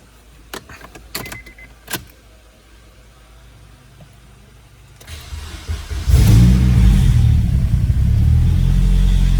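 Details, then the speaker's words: Honda started for only the second time after oil leak repair, jump-boosted due to a weak battery; clicks, cranks, catches and revs to a strong even run with no misfire, though a check engine light is on. "But other than that, sounds amazing."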